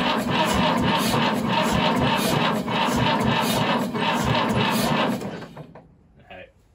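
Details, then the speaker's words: 1950s Fordson Major diesel tractor, unstarted for 20 years, cold start primed: slow labored cranking with dragging compression strokes that never catches; weak battery lacks charge to crank it. "okay here we go sorry cloves i just not got enough in the battery even with the cold start primed she's just not gone"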